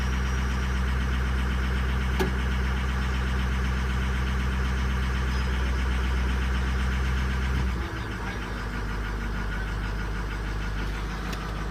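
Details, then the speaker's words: Diesel just after cold start: deep idle with uneven chug about four times a second, dropping lower after eight seconds; rough running when cold, worst right after starting. "bit of issue right now going on just lighted up it was cold SiC for is by far the worst"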